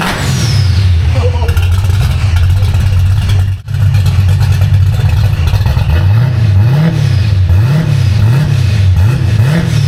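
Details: V8 car with a B451 cam, fresh Spintech mufflers with turndowns and a repaired H-pipe after driveshaft damage; still warming up. Lumpy cam idle swings up and down with throttle blips, then settles clean and even. Normal idle and revs.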